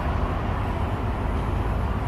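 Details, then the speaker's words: Diesel truck air brake check, listening at wheel side for leaks: steady low diesel rumble with no hiss; no hissing sound heard, air brakes holding without leaking. "wala naman tayong naririnig na hissing sound, no?"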